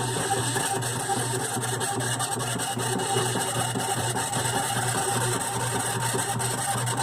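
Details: GE washer model WDRR2500K3WW, right after filling as agitation starts (sometimes at the second agitation): harsh, uneven grinding and ratcheting over the motor that typically clears after the first few minutes. It still washes; cause unknown.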